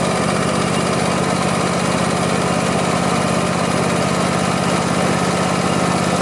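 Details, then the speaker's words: Craftsman YT4000 lawn tractor, sat in a barn for years: steady, even putter at idle with regular firing beat, no skips or clatter; deck engages but vibrates, blades probably to be sharpened and balanced. Normal idle. "Sounds pretty good. The mowing deck, it engages, but it feels like there's some vibration down there, so I'll probably check out the blades, sharpen them, and balance them."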